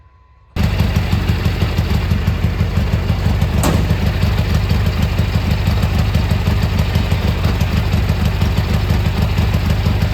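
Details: Gravely G-16 tractor, unrun for a few years, now running on its own fuel while driving: steady even twin putter, no misses or rattles; runs pretty well, smokes a little, carb probably dirty.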